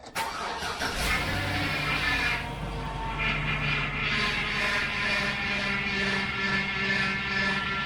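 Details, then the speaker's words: 2003 GMC Savana 2500 van with Hydro Boost brakes, engine started at idle; wavering low groan rising and falling, also with brake pedal pressed, power steering pump groan from low fluid due to leaks. "All right, that's the power steering, and when you push your foot on the brake, it does the same thing because it's Hydro Boost."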